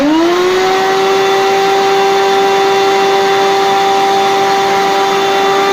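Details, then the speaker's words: Rowenta 1700 W vacuum cleaner on its minimum speed setting, brought in for loud humming: motor spins up to a loud steady whine; lowest speed still runs too high, possibly by factory design, suction otherwise good. "Единственное, что мне лично не нравится, что у него очень большие маленькие обороты, минимальные. Вообще пылесосы должны обороты быть поменьше."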